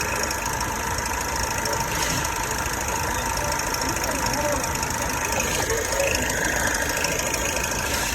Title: Holden captiva ENGINE RATTLE NOISE #shorts #automotive #mechanic